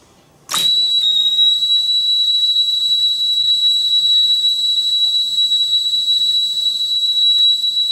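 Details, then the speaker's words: Sony TC-854 4-channel reel-to-reel deck after repair from a drop: 1 kHz test tone plays as a steady pure whistle without warble, dropouts or hiss bursts; playback clean. "it actually sounds a lot better than I thought it was going to be I guess I got it fixed yeah excellent"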